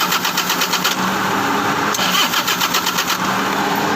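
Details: 2012 Toyota Grandia that won't start: starter cranks in rapid even pulses, pauses, then cranks again without catching; crank-no-start, cause unknown.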